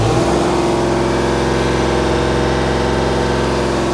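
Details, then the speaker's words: Magirus Deutz FM 170D11 FA diesel truck, warmed up a minute or two, pedal floored: flat steady drone topping out around an estimated 1,500 rpm versus expected 2,500; owner suspects engine-side limit or throttle linkage fault. "that is Full Throttle now I don't have an RPM gauge but it sounds like it's only doing 1,500 RPM or somewhere around there and I would say an engine of this type should at least do 2500 rpm at Max"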